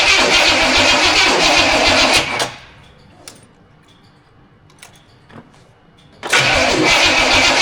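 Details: Carbureted Studebaker at its first start, fitted with an untested distributor taken from the shed: starter spins steadily for two seconds, pauses, then cranks again with no cylinder catching; cranks but won't start, bad distributor or ignition box suspected, not confirmed.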